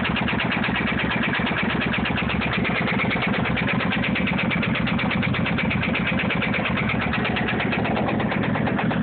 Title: motorcycle ticking noise